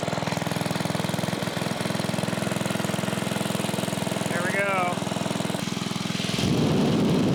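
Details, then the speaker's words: 1980s Onan 1.7 kW generator after a clog was cleared: a small petrol engine pulses at a steady, even pace, holding speed without surging or dying. Normal running. "There you have it, guys. We have the Onan 1.7 kilowatt generator. It's running."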